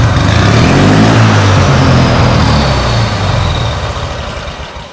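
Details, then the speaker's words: Turbocharged lawn mower, boosting about 5-6 psi through a carburetor that is not a blow-through type, air cleaner fitted: loud, fast-pulsing engine runs strong, then sags and fades as it spools up; rich on startup, then fuel starvation. "so you can hear the beast full but when it spools up the carburetor catches up with itself because on startup it's super rich and then the carb catches up with itself can't get enough fuel from the fuel tank and then starves itself"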